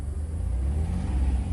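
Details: 2002 Chrysler Town & Country van after throttle position sensor replacement and code clearing: deep steady rumble swelling smoothly as the throttle opens, no stumble or hesitation; clean, normal throttle response.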